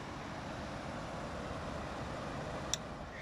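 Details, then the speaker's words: 2018 GE (possibly Haier) air conditioner fan after fixing rotor-to-stator misalignment that caused startup noise: smooth even airflow with no scraping, rattling or startup knock; running quietly and normally. "That is beautiful. It's perfect now."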